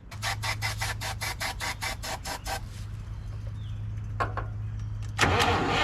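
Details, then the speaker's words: 1958 Lull telehandler/cherry picker after 15 years parked, fuel pump and coil hooked up and starter jumped: even cranking, then a rough brief firing burst; carburetor seems to be flooding and may need cleaning. "oh we're getting filled of the carard caror maybe it's flooding out carburator might need to be cleaned"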